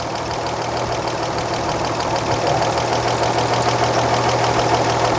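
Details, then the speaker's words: 1938 Chevrolet coupe inline-six, running during valve adjustment: steady idle with a light, quick ticking about three times a second; intake valve lash checked with a 0.007 in feeler gauge and found too loose. "And that's a little loose. That feels loose."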